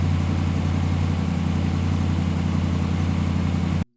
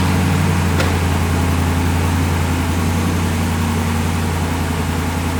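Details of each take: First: 2017 Ram 1500 Rebel V8 on a cold-soaked start after the leaking exhaust manifolds were replaced with BD Diesel manifolds: a deep, even rumble with no exhaust tick or leak, and slight belt squeal when cold and rainy. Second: 2017 Ram 1500 Rebel at idle after fitting new BD Diesel exhaust manifolds: a steady low idle with a light, fairly even tick of about 160 per minute from the leaking exhaust manifold; it was then fixed.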